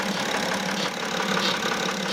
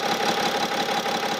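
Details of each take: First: 2009 BMW X6 E71 3.0 diesel, about 259,000 km, camera close to engine at idle: fast faint chirping tick over steady idle, traced by stethoscope to the EGR vacuum solenoid valve under the intake manifold. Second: 2009 BMW X6 E71 3.0 diesel, about 259,000 km, after the vacuum-controlled EGR valve was disconnected: steady even idle with a faint high tone but no chirping; noise gone, confirming the faulty EGR solenoid valve.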